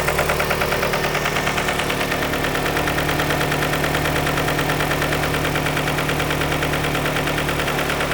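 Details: 2003 Nissan 2.5L after timing chain and water pump replacement, oil level correct, idling: sharp even top-end tick around 140 a minute, first suspected lifter buckets; likely cam contacting the valve cover.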